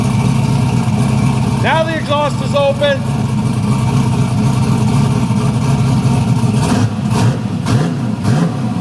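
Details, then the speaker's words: 1974 turbo Camaro after fixing a leak and retightening headers, revving healthy with deep open-exhaust burble and quick blips, no knocks; about 13 lb of boost, sounds strong and fixed. "Dude, that sound that sounded wild when it when it got up on boost a little bit."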